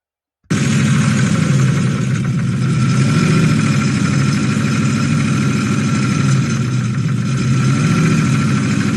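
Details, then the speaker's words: Toyota 1UZ-FE V8 with an oil pressure issue that blew up the engine, after an oil change and a collar filter with drain-back were fitted: rough, uneven clattering idle; the front cam pulley was found to have fallen off. "And of course, what we found was the front cam pulley had fallen off."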